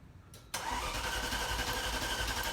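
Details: 1987 Ferrari Mondial 3.2, cold start after replacing a 7.5 A fuse (owner doubted it would fix it): brief cranking, then a busy, uneven idle reluctant to settle; cold-start fuelling fault suspected.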